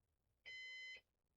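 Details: Used Synology DS418 NAS during first setup: single steady high half-second beep in a quiet room, a "heart monitor" alarm warning that a cooling fan has failed.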